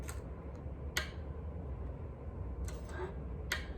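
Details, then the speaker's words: Schecter Sun Valley Super Shredder III guitar with Floyd Rose: small sharp metallic ticks, about four in four seconds, at the locking nut each time the tremolo bar is pulled up; strings seem to slip at the nut. "However, it has a click at the nut when you pull up on the tremolo bar."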